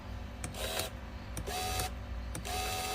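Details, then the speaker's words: 1998 Mercedes W210 E320 V6 electric tilt steering; short whirring motor bursts about once a second with clicking gear while the column does not tilt (telescopic works); broken tilt gear stopper. "this is for the tilt steering you can hear the noise and you can see the gear is turning but it doesn't do anything okay the the steering doesn't tilt"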